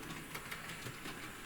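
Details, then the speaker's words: Model locomotive (Bonaccord) taken much slower over the same track points where its tender had derailed: quiet, light clicking over the rail joints with no thumps or stalls. It runs smoothly at low speed. "So I took it a lot slower over these points here, as you can see, and it worked absolutely lovely."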